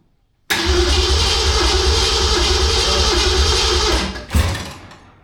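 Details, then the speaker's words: 1968 Mustang cranking for about 3.5 seconds without firing: the coil has voltage in the run position but drops to zero as soon as the key goes to start. Crank no start, no ignition voltage while cranking. "It ain't going to go cuz soon as you turn the key to start position, I lose my voltage."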